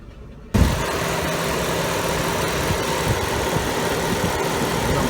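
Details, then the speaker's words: 1998 Chevy Cavalier, hot day, check engine light, running rough, stalling, lacking power: petrol engine idles with an uneven, stumbling beat, cylinder 4 misfiring heavily, misfires also logged on 3 and 2; rough idle. "So I got number 4 is misfiring its ass off."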